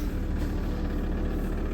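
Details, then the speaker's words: Diesel T4 started at -7.5°C after warming glow plugs, starting on the first try; steady, low diesel clatter with no misses or knocks; normal cold idle. "з першого разу. Навіть довго не думав."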